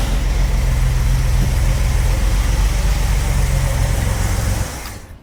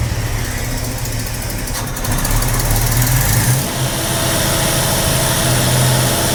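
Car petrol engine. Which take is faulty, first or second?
second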